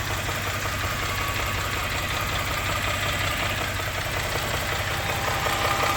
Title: engine knock 1